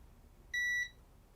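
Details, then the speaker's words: Board repair, continuity test on a shorted supply rail after cutting a chip's pin: one clean high beep about a third of a second. Short still present, so that chip isn't the cause. "nope it's not gone it's still here as you can hear so it's not that chip i guess"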